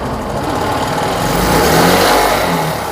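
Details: TVS XL100 BS6 moped that would not start or stalled after a short distance, after fuel pump repair: small single-cylinder engine runs steady, swells slightly as the throttle opens, then settles back, no misfire or stumble; normal running.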